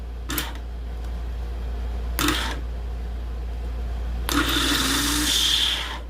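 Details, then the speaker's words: Starter from a 1996 Chevrolet work truck with a 4.3 L engine, bench-tested off the vehicle on a battery charger's 2 A setting: three short bursts of clean, even whirring with no grinding; armature is healthy, and the solenoid is to be replaced. "so yeah starter works well the Armature and that much works"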